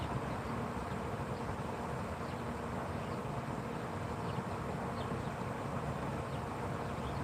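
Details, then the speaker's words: Traeger pellet grill during its long shutdown cycle, fire out: steady even fan whir with light buzzy edge, no knocks or rattles; fan simply running out the shutdown cycle. "I just hear the fan. No, the fan. That's still working. When that fan shuts off, it's done."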